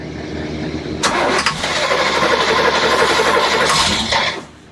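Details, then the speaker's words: Boat's Crusader 454 port engine: starter churns steadily about four beats per second for three seconds without firing; new Carter fuel pump not delivering fuel due to a manufacturer defect. "What happened with the boat was that the fuel pump was not working. It was the first thing we changed."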